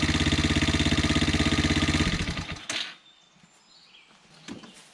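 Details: 110cc Chinese youth ATV, model 3050B, after engine rebuild (had run out of oil and seized): small four-stroke single putters at an even quick idle with regular beats, then shuts off; runs fine but drips a little oil.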